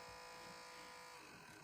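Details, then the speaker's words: Mazda Miata Pioneer MSSS1 cassette deck under repair (new pinch rollers and belt on order): thin steady electric buzz as the motor spins with no tape transport sounds; the mechanism does not engage and the sacrificial tape does not play, cause unconfirmed. "It means that this fucking thing doesn't work."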